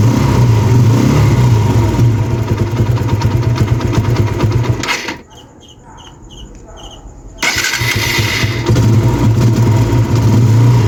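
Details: TVS Apache RTR 160 after replacing the timing chain tensioner assembly to cure engine noise: steady single-cylinder idle with an even beat and no chain rattle or ticking; it stops and restarts briefly and the engine runs healthy.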